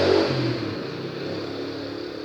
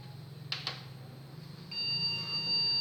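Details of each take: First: Small CPU cooler fan on an overheating Acer H61 desktop, bench-tested with wires put on a 5 V supply: a soft whir with a low hum that settles and eases off as it spins on the low voltage; it seems to run normally. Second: Acer H61 desktop PC at power-on with CPU fan spinning: after a couple of clicks a single long continuous POST beep with fan running; suspected failed previous processor, RAM also suspected.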